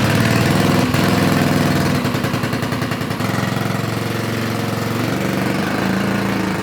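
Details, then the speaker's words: Honda 5HP overhead-cam engine on yard go kart, after carburetor cleaning: small single thumps at speed, then sags and stumbles as revs fall, won't idle; governor seems to pull throttle up, carburetor linkage suspected. Engine will not idle. "We've encountered a strange problem, and that is the engine does not want to idle. It feels like the governor is pulling the throttle upwards,"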